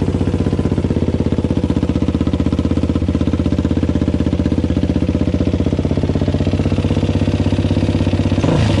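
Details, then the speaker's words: Suzuki LTZ400 single-cylinder after checking and adjusting valve clearance: even sharp clacking about four times a second over the exhaust beat at idle; valve train clatter persists, cause not found. "yes it's still clacka clack in there"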